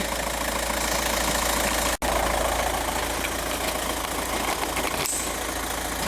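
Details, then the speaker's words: 2006 VW Jetta TDI BRM diesel with low boost P0299, heard from underneath at idle: loose, uneven rattle about three or four clatters a second from the dual mass flywheel. "let's get underneath the car here real quick that's dual mass flywheel rattle"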